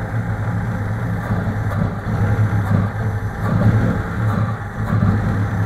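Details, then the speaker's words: VAZ 2101 (Kopeyka) at idle: uneven, lumpy running with irregular stumbles and surges every second or so, missing on a cylinder; choke pulled out makes revs roar, choke pushed in makes it jerk; cause unknown. "Хуй поймешь, что ей надо. Подсос выдергиваешь, обороты ревут. Подсос убираешь, вся дергается."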